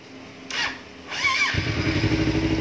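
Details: Motorcycle restarted after reattaching a detached inlet air pressure sensor hose that set error code 12. Short crank catches at once into an even, steady idle, check-engine light gone. Normal start and idle.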